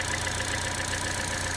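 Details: Chevy Trax/Cruze/Buick Encore with P0171 bank 1 lean code, engine idling: steady idle with a constant airy hiss from a hole in the valve cover PCV diaphragm letting unregulated air in; fix is valve cover replacement. Vacuum leak.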